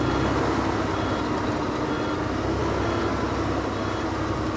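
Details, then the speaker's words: 2004 Volvo truck diesel, about 1,180,000 miles, just started on ether after sitting years: heavy clatter with uneven, lumpy idle beat, not settling smooth; running rough but staying lit. "I think we got it now man she's rough it didn't want to I tell you it was mad somebody woke it up"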